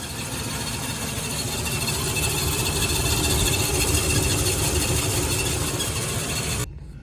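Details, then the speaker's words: 1984 Oldsmobile Delta 88 after sitting 8 years on old gas, warming up, idle about 500 rpm: steady idle with a faint high thin squeak on top, not following engine beat; owner suspects a pulley or belt. "We do have a touch of squeak from a pulley or a belt or something in there, but for sitting for 8 years, it's running pretty good."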